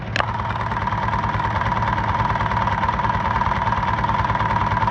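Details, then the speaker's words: Honda Titan 125 motorcycle engine running, listened to with a tool as a stethoscope: fast rattling clatter, loudest on the magneto side near the cam gear; damaged cam gear noise. "o barulho aqui ficou forte então eu venho o barulho está vivo desse lado aqui do Marco"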